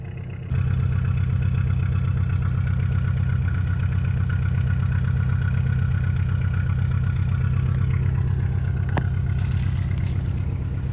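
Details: 1962 Chrysler Newport, 361 big-block V8 with TorqueFlite A727, first start after 17 years, on a gravity-feed tank with no radiator: steady, even low rumble with no knocks, misses or smoke. Normal idle.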